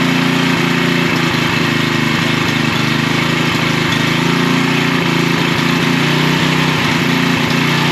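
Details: Troy-Bilt 6.75 HP tiller, model 21A-644H063, engine running steadily after starting with starting fluid: uneven metallic knocks and rattles, roughly two a second, from the back side, caused by an overlong guard bolt contacting a moving part.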